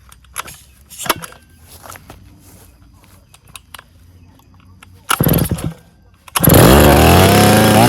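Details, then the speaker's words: Stihl 070 chainsaw's first start after rebuild (crankshaft axial play corrected, new seal): after a few starter-cord pulls with no choke, it fires and settles into a loud, steady two-stroke buzz; the clutch, choke and cover are still unfinished and no bar is fitted. "senhores, pegou, funcionou."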